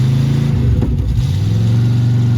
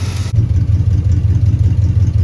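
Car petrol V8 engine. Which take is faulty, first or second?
first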